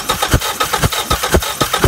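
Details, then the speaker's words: 1989 Ford Probe GT 2.2L turbo intercooled, new fuel pump, spark and timing fine: engine cranks in steady pulses, about four a second, with no firing; fuel rail not filling, only a slight old-fuel smell, gummed-up injectors blamed; crank no start from no fuel delivery. "we're good we have no fuel that's spraying in my face and all i'm getting is a slight old fuel smell so we still have our fuel issue"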